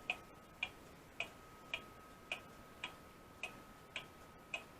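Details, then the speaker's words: Restored Seth Thomas clock movement running next to the bench out of its case: crisp, even ticks about 108 a minute on a quiet background, steady strong beat; healthy clock ticking. "it's actually running so far so good doing real good got strong motion this doing good"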